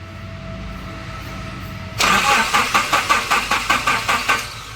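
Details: 2006 Nissan pickup that cranks with no spark; fuel pump is OK. The starter spins the engine in even pulses, about 2.5 a second, for two seconds without firing: cranks, no start. Suspected causes are fuses, relay, wiring or the distributor rotor.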